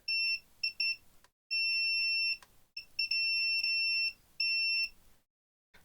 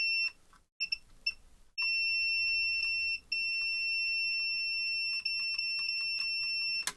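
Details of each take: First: AXUS USB-C/battery keyboard with no power, multimeter continuity test on the battery lead from the battery terminal: beeps are broken at first as the probe settles, then long solid tones; the lead tests fine. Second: AXUS keyboard with no power, continuity test on the lead after reflowing the solder: the beep cuts in and out irregularly, still a loose connection, suspected inside the connector crimp.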